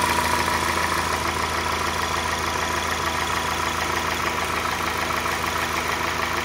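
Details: 2004 Acura RSX Type-S at steady idle, fast fairly even tapping of about three knocks a second over the engine hum; possible rod knock suspected but unconfirmed, owner plans thicker oil and eventually a new engine.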